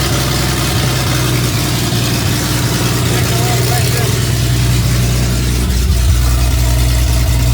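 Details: Toyota 2F engine first start after a year-long full rebuild, following flooding and a warm starter: deep, steady idle rumble holds even throughout with no knocks or misses; engine idles smoothly.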